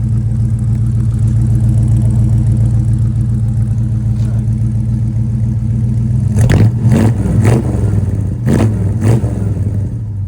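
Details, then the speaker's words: 1976 Ford Thunderbird big-block V8 after top-end overhaul and new high-flow true dual exhaust: deep even burble at idle, then sharp throttle blips that rise cleanly and settle; normal healthy idle and revs. "Here's a little idle exhaust note for you guys."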